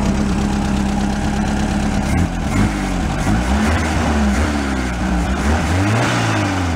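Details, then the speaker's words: Air-cooled VW bus engine, valves adjusted, old fuel described as pretty bad. A steady, even low idle with a smooth exhaust beat and no knocks or misses. Normal idle. "engine sounds nice the bowels adjusted but"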